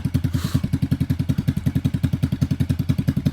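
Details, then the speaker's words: 1986 Yamaha XV750 Virago on a Gen1 KJS single-carb manifold, first run after winter, recorded from behind the bike. Even, steady quick idle with both cylinders firing well, slightly rich, sounding better than the homemade manifold. "it actually sounds pretty good compared to my homemade manifold I had on there sounds like both cylinders are firing pretty good"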